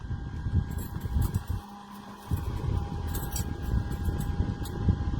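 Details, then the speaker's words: SmartDevil small USB desk fan at high speed: steady low rushing airflow with a smooth, even hum and no ticking or rubbing; the fan is running healthy. "We've now got a mini hurricane. But even that is quieter than any of the fans that I've had."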